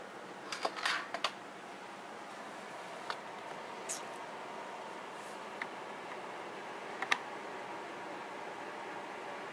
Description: This video demonstrates the ticking noise I get at boot up, and the beeping noise I get at wake up.